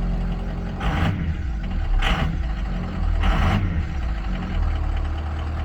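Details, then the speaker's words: Normal idle after an IPR replacement fixed a crank-no-start on a 2003 Ford F350 6.0 Powerstroke plow truck; oil pressure had stayed at zero while cranking. Now it starts right up to a deep, steady diesel idle with short hissy bursts, a little angry. "But sounds a little angry, but all it is a work truck. It's a plow truck, and it now gonna work for him."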